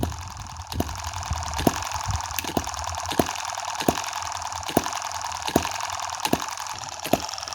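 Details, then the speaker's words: M17 miniature 4-stroke gas hit-and-miss model engine running, with oil rather than water in the hopper: sharp firing pops every 0.7 to 0.9 seconds over a steady whir. This is a normal, slow hit-and-miss cycle. "you hear that beautiful little clicking noise yeah with such a slow hit and miss cycle we're really not going to be worried about heat here"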